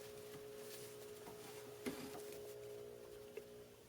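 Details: 17-year-old 240 V GE Advantium SCA2000FBB03 microwave, completely off: a faint, steady, low hum. The damper motor keeps running against an already-open damper door; unplugging the red/blue wire plug above the door stops the noise.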